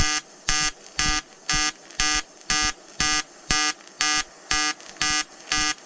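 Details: EWM Tetrix XQ 230 Puls AC/DC inverter TIG welding 5000-series aluminium corner joint: 2.4 mm lanthanated tungsten, 2 mm filler, pulsed AC. Even buzzy arc pulsing about twice a second, clean on-off rhythm; normal pulsed AC TIG arc.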